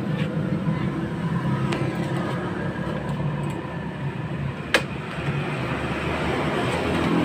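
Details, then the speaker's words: Kawasaki Ninja RR two-stroke after cylinder boring, idling coarse and uneven, weak and sluggish, overheating; mechanic also predicts a clogged radiator; rough note attributed to scored bore and poorly fitting rings. "dari segi suara mesin agak kasar ya terus dari segi sistem radiator coba lihat Ini motor hidup Gembos yo tidak padat loh"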